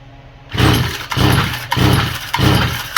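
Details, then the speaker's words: Stihl FS45 trimmer with a faulty carburetor that won't prime, the fuel bowl not filling: four rasping cord pulls about a second apart and it never fires; no start. "No start. Priming again. I can't get the bowl to go up."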